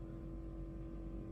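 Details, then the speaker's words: Radiator cooling fan on low speed, activated by scan-tool actuation test with ignition on, engine off: steady, even mid-pitched hum with no rattle or rub; fan operating normally. "And if I start it, I can hear the cooling fan is operating."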